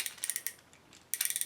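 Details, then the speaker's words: Cheap Amazon fishing reel, new out of box: two bursts of quick, even, crisp clicks as line is pulled against the drag, smooth ratchet action; normal drag click. "at least the drag sounds okay there are some cheap ones you can get at Walmart that the drag sounds like you are tearing the raw the real apart this sounds pretty good"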